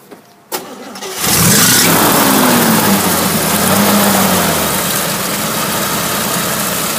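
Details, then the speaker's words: 1961 Willys Jeep CJ5 with 1957 Chevy 283 V8, manual choke, idle set slightly high for winter warm-up: brief crank, catches and settles into a fast, even idle with no clicking or knocking; healthy start. "As you can hear, there's no clicking or knocking. Start right up. It's idling."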